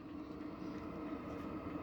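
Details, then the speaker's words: Newly installed diesel cabin heater on a 1968 VW Bus lights with a quiet, steady whoosh and faint even hum, then settles; a normal start-up. "So you can hear the heater firing up now, and it's gonna start making some exhaust out that exhaust tube."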